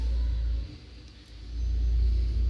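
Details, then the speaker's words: VW Gol G3 at idle: deep uneven idle that sags and recovers instead of holding steady; a metal part of the idle control in the throttle body (TBI) is broken. A mechanic friend had earlier blamed the pressure regulator. "a lenta no regular nunca fui até um amigo meu que é mecânico também ele falou que era regulador de pressão"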